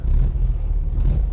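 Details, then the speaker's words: 1968 VW Type 3 Fastback, cold start after subframe and IRS rebuild and engine reinstall, sat a couple of days with throttle pumped: low even rumble catches straight away and settles cleanly, no fuel leaks, reluctant to rev while cold. "This car is always started up nice and easy. All right, I don't see any fuel leaks. That's good. Nope, nothing. Obviously it's cold. Doesn't want to rev yet."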